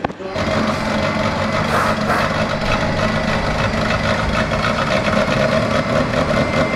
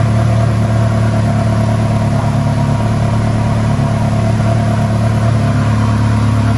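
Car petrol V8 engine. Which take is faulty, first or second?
first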